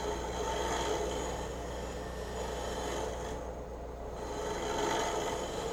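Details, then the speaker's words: Woodturning a walnut goblet on a lathe, hollowing with a scraper using very light passes: a steady rasping scrape with a fast uneven buzz of about four pulses a second, tool chatter from pushing too hard. "You can hear the vibration. If you push too hard, you get that."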